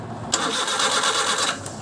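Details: Suzuki F6A 12-valve engine: a short burst of steady starter churning that never catches or picks up speed; cranks but won't start.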